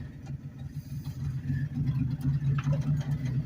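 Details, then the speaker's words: 1984–89 Ford F-150 (84 front end and bed, 89 cab) at walking speed off the gas, about 200 rpm in low gear; slow heavy steady chugging six, no stumble, picks itself back up; normal low-rpm lugging. "it's like 200 RPM I mean come on it's not gonna stop it's just chugging along like it ain't nothing"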